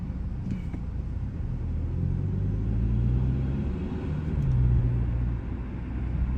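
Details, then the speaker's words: 2020–2023 Hyundai Sonata N Line on a test drive in sport mode after installing HKS M45XL spark plugs: smooth, even low engine drone under road rumble as it pulls and eases off, no stumble or miss; running good, no issues. "so far she's running good uh smooth no issues no problems everything looks good"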